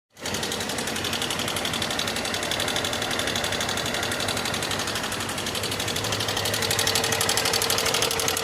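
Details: 2024 Moto Fan motorcycle engine making a strange noise for the second time in under 6000 km: a fast, sharp, steady ticking of about four per second over the running engine; abnormal mechanical tick, source not pinned down.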